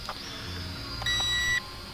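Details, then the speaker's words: Holy Stone HS230 5.8 GHz FPV racing drone in flight: over the drone's light whine, a single steady high-pitched beep lasting about half a second, with lights blinking; low battery warning. "Oh. wait, no, the lights are blinking. Low battery. Battery's Hit low."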